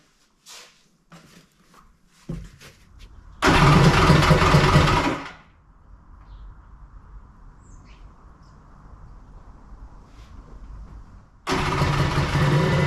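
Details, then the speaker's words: Kawasaki ZXi 1100 with homemade cylinder head (OEM head bored out, domes added, cylinders decked for a tighter squish band), about 140–145 psi compression, first start: clicks and short crank, catches and revs hard, drops off, fires again. "so we're at a 140 45 PSI currently and I'm going to try to fire it up for the first time here"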